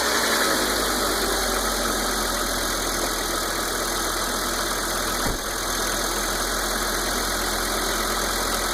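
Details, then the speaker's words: Volvo 850/V70/S60 (1993–98) after ignition tune-up with new cap, rotor, wires and plugs: even, steady idle with smooth unbroken beat, no misfire, running cleanly. "Well, what do you know? Smooth as a kitten, good as new."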